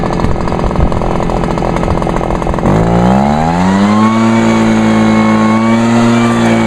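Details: Vintage Echo PB-400E backpack blower throttled up by the left-side lever (it has no throttle trigger): a rough low idle, then revs sweep up and hold a clean, steady, loud high whine. Normal full-throttle running.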